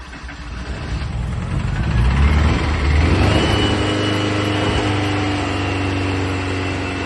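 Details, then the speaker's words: Rare 1960s air-cooled Porsche barn find, first start in about 45 years after new plugs, leads and exhaust work: brief cranking, it catches, revs, then settles into a steady, even idle with no knocks. Normal idle. "There's still loads to do, of course, but it felt fantastic to hear it fire up."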